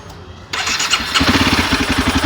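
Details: Honda CBR 250R firing up and idling with a fast, regular light ticking and rattle on every beat; owner suspects a loose timing chain needing the tensioner tightened. Cause suspected, not confirmed.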